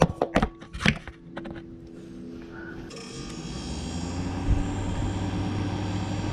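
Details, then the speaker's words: GE refrigerator that clicked and wasn't cooling, after fitting part WR07X10131 in place of discontinued WR08X10089: handling knocks, then a low steady hum starting at about three seconds; compressor starts and runs normally. "and by golly it's working well that was that it's how you fix the clicking noise from the bottom of the refrigerator"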